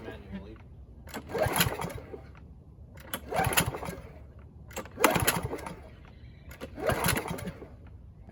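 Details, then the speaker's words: Free Husqvarna mower, auto choke, throttle cable missing, first start attempts: four pull-cord rattles about every two seconds, each dying out without catching. Cranks but will not start. "think it's time we put some fuel in the spark plug hole and see if it fires up."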